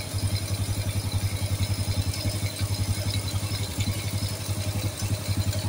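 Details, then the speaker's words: Supra-style motorcycle with non-Honda "Turbo" engine that smoked white from exhaust: even idle putter about four pulses a second, no knock or rattle; rumbling noise said to be oil rising to the head; runs normally during no-cost smoke fix. "dan di sini ada suara gemuruh ya suara gemuruh itu oli yang naik Ya mulai naik dari bagian jalur sini ke bagian head ya"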